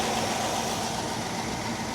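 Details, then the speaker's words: Old California car after replacing clogged fuel filter (old one full of brown stuff), hoses and belts old and cracked: even, steady idle with smooth hum and some hiss, no misses or knocks; normal idle. "Oh, she's running great now. Wow. Sounds good."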